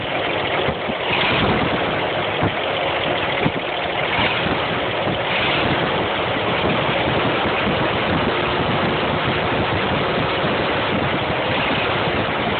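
Rough, uneven idle with a sharp knock coming through repeatedly over the engine note; a knock at idle, cause not clear.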